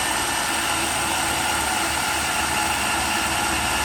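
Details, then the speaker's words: Makita drill on a test rig, powered by new battery pack A, fully charged the day before. Steady high motor whine at full speed with no bogging. Output is a full 12 V at about 7.5–8.5 A. "and straight away you can tell the output is much higher we've got a full 12 volts being supplied"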